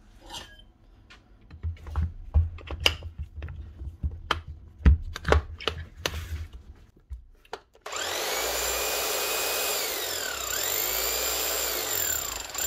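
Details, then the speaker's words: Keyang KH5000M small chipping hammer after a mini service: strip-down, washout, two new O-rings, grease and rebuild; the motor is still perfect. After handling knocks it settles into a steady, even, fast buzzing run with no misses, like a new hammer. Normal running. "Gets her running again like a new hammer. Motors are still perfect on it. Now she's beaten like she should."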